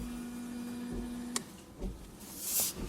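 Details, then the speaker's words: 2004 Toyota Avensis rear windscreen washer after repair, stalk turned right: steady low electric pump hum over a second, cutting off, then spray hiss; washer sprays well, pump working normally. "ensembles voyez ça gicle bien y'a pas de soucis"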